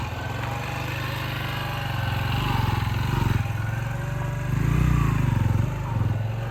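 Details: Chinese-built XTZ125 after fitting slit collar and wave washers to take play out of the loose front sprocket to cure judder noise: small single revs smoothly with clean putter, no clunks or judder; drivetrain healthy.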